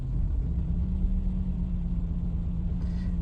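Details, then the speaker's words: 2007 BMW 1 Series 1.6 N45, idle below 900 rpm: low, lumpy, uneven rumble with flashing engine light, smooths at about 1,500 rpm; misfire-like running persists after coil pack and sensor replacement, scan shows faulty exhaust Vanos solenoid and air pressure sensor, cause unconfirmed. "car's running like rubbish um as you can see it's barely ticking over properly"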